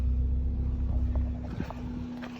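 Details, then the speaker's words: 1997 Subaru Outback petrol engine idling with steady low rumble and faint constant hum, running again after split fuel line replaced and aftermarket fuel pump zip-tied back to assembly. "we got fuel all right just like that back up and running"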